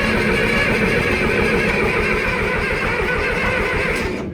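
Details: John Deere 2510 diesel, fuel now reaching return line at injection pump, weakening battery: starter churns about four turns a second and sounds laboured, engine never catches; slow crank, no start; fuel supply suspected.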